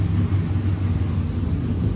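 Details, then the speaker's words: LS V8 truck just after an in-vehicle cam swap with new valve springs, first start with the exhaust cutout open, running the previous sloppy stage 3 tune on a sloppy stage 2 cam: deep, uneven choppy lope, a normal performance-cam idle. "Well, look at that, dude. It's still got the chop because, of course, sloppy stage 2."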